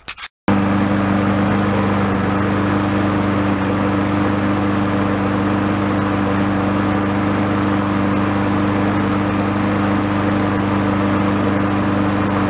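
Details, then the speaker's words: Free yard-sale Craftsman mower, tagged "oil leak, head gasket, still runs": steady, slightly rough drone at constant speed, no knock or miss, smoking a lot. The crankcase is overfilled with oil. The planned fix is draining it to the proper level. "very first thing we'll try doing this will take the oil level down to where it should be and see if that makes it go away"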